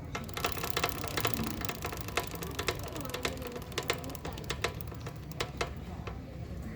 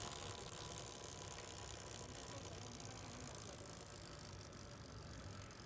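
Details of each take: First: Motorcycle rolling in neutral or at 20–30 km/h: sharp metallic "taca taca" clicks about twice a second. Chain, rear sprocket and wheel alignment are fine; cause is a worn front (output) sprocket retainer. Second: Motorcycle rear wheel spinning in neutral after replacing a worn retaining clip ("seguro"): only a soft, even chain whir with no knocking. The earlier "taca taca" noise persisted after a new chain and sprockets but is now gone; the chain drive sounds normal.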